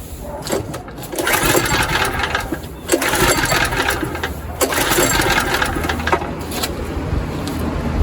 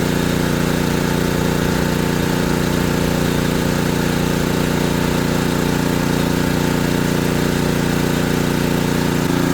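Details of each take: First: ETQ3000 3000-watt portable generator, choke on. Several rasping recoil pulls each spin the engine briefly without firing; it cranks but won't start, with the owner suspecting it isn't drawing fuel. It later started without problems. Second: ETQ3000 3000-watt portable generator, repaired after not running, carrying a 1500 W load: even, steady drone with no hunting or surging; idling just fine under load.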